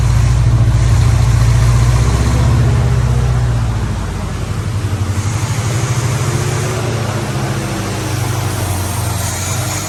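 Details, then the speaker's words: 1950 Plymouth Deluxe, off the road 23 years, running from a gas can, cold: low idle swelling and sagging every few seconds instead of holding steady; choke doesn't work great, suspected cause, not confirmed. "we're just kind of coming out of this gas can choke doesn't work great but it does idle"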